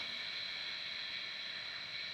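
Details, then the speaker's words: DJI Air 2S drone after repair of right front arm, left rear arm shaft, gimbal and vision, no errors: even high-pitched propeller whir, steady pitch, no rattles, scrapes or surging; normal motors running. "No problem. The propeller is spinning."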